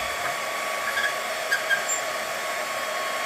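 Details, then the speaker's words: Server power supply cooling fan running under a rheostat load, green indicator lit; steady, airy high whir, even pitch without rattle or bearing grind; normal fan under load. "запускаем питание Да вот так вот он шумит здесь светится зелёный индикатор в случае проблем будет светиться"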